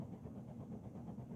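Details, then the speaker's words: 60-inch Fanimation Xino ceiling fan running on high, light off, drawing about 0.5 A: a low steady motor hum under a soft whoosh of air; slight hum, cause unclear. "not gonna bother showing reverse because it's unnecessary it's got a little bit of a hum"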